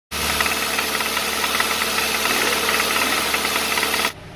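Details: 2015 Hyundai Santa Fe engine: steady fast metallic knocking about four per second over an even idle, deep knock possibly worn bottom-end bearings; cause suspected, not confirmed.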